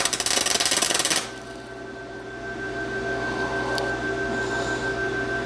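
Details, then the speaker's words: Vevor MIG200 4-in-1 synergic welder on a 110 V outlet, 120 A, voltage 24, MIG manual mode, iron setting: a harsh, uneven crackle and popping for about a second, then only hum; a spattering arc run without shielding gas. "Nope, that didn't do it. Oh, no gas. I can hear the gas now."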